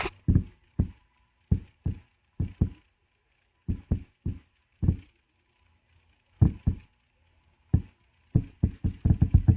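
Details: Klipsch Flexus Core 200 soundbar with a new subwoofer, new audio cables, a conditioning power supply and a smart TV on optical input: deep, dull pops thump from the subwoofer at irregular intervals, sparse then in rapid clusters. Upstream and downstream components already replaced.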